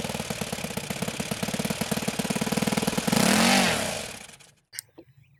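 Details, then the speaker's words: OS FS-91 Surpass four-stroke nitro RC engine after tuning, high end leaned again once cooled: crisp pop-and-cackle idle hitting every other time, then a clean rev and shut-off; normal, proper four-stroke idle and run. "and there's that pop and cackle hitting every other time that that typical four-stroke sound that's the sound of a proper four stroke idle"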